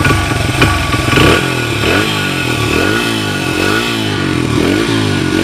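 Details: 1994 Honda XR100R after carburetor rebuild (jets had been clogged, previously wouldn't idle or rev), warmed up, no smoke: single-cylinder bark climbs cleanly through quick blips and drops back without stumbling; normal.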